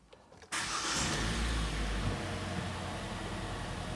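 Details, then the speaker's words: 2014 Kia Sportage G4NA 2.0 engine, first start after repair of severe piston knock, at 134,000 km: brief crank, catches at once, steady even idle with no misfire or knock and no warning lights. "заработала все хорошо не троит не пердит чеки не горят запустился сразу же автомобиль"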